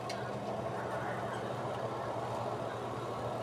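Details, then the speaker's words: Astron spin dryer that had hummed without spinning, after repair: smooth, even, mid-pitched whir with no hum-and-stall. The drum spins fast so the capacitor is fine; it coasts long to a stop because the brake is gone. "Itong mga dryer na to malikot lang sa una kailangan na muna nating hawakan ayan titingnan niyo ang bilis lang ung kanyang ikot ngayon so okay pa yung kanyang capacitor"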